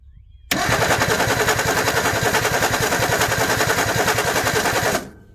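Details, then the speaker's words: 1961 Ford Falcon Futura parked 20 years, cranking after running briefly; hard ragged pops over about four seconds of fast cranking without settling, fouled spark plugs, possibly flooded; plugs to be pulled. "oh yeah we fouled it okay i'm gonna pull these"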